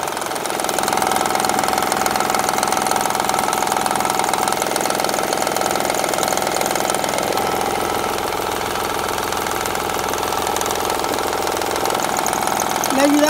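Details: 2007 Honda Odyssey Touring 3.5 at steady idle: rough, rattling tick of about 158 per minute. Diagnosed as a damaged timing belt tensioner; tensioner, timing belt and a side engine mount were replaced.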